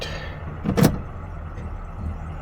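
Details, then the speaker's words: Old '70 car, started with no gas pedal: low steady rumble, even beat, one brief handling clunk; engine runs smoothly, nothing abnormal. "no press on the pedal let's see how it does look at that didn't give it no gas oh yeah all right"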